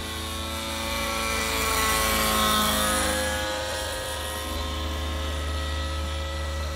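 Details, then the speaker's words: Nova Rossi Icarus 91 nitro engine on 30% fuel in a Gaui NX7 helicopter, second break-in flight: high fast buzzing note with a soft burbly edge that swells and eases; owner thinks the mid mixture is running rich. "So I've got a smoke trail. I think it's a little heavy for the mid, so I'm probably running rich."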